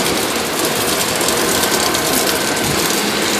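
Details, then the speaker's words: Water tower (swamp cooler) pump installed incorrectly, fed from the bottom through a sand filter, so pressure is upset: a loud steady hiss with fast ratchet-like chatter; it spins unprimed and can't spray. "It's coming from the bottom of this pump, and in doing that, it messes up the pressure inside to where the pump can't spray."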